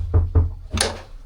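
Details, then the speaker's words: Yanmar 4JH57 with SD60 saildrive on a Leopard 48, shift cable removed, lever moved at the transmission: two dull thumps then a sharp, louder click coming from reverse into neutral, quieter from forward; owner unsure if normal. "And when I come from reverse into neutral, it's a much louder click"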